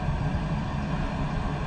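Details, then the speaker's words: Espar D4 diesel air heater newly installed on a boat, after cycling up about four times: steady even low hum of fan and burner with rushing airflow, no knocks or surging; warm air, running normally. "You can hear the air coming through, and I'll be damned, it's warm."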